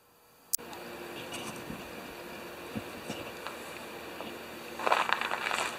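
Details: 1973 Tecumseh single-stage snow blower engine after carburetor reinstall and leak check, augers always turning while running. Steady, even buzz with no misses, knocks or surging, settling into a smooth run; normal running.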